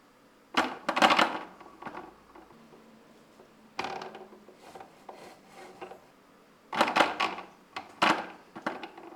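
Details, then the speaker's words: Logitech G923 wheel, force feedback from driving into rocks in BeamNG Drive, wireless mic on the cable: sharp bursts of hard plastic clacks and clunks from the gear drive. "This works a charm for shocking and jarring the G923 into making that horrible clacking noise it and its predecessors are well known for."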